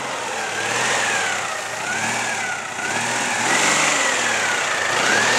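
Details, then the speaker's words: Citroën 2CV after a field repair of the turbo, engine running behind the front grille: steady, even running with no misses, knocks or rattles, some outdoor air noise; the repaired engine sounds healthy. "Vypočujte si ten opravený motor. Tu na, za touto čelnou mriežkou burácajú válce, burácajú cylindre."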